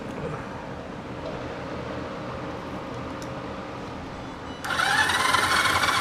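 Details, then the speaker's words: 1974 Yamaha TX500 twin, parked in a barn for over 20 years: on a substitute battery the starter turns it over steadily at about 200 strokes a minute with no firing at all. No spark, points to be cleaned with sandpaper. "Ta-da! But you guys can't see, I have no spark. Not that I'm surprised."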